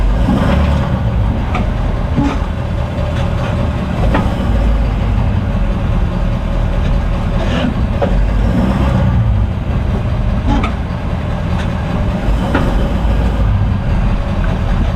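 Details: 2018 Ford F-250 Super Duty, 56,000 miles, stock rear suspension: heavy single clunks at the slip yoke over the truck drone, noticeable when stopping and pulling away; the owner suspects the driveshaft splines and plans to remove the shaft to inspect.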